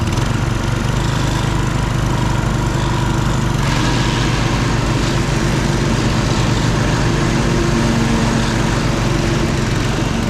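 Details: Husqvarna HU 625HWT four-stroke string trimmer, a non-runner, started after repair work: even, steady buzz at constant speed with no stumbling or rattles; running cleanly.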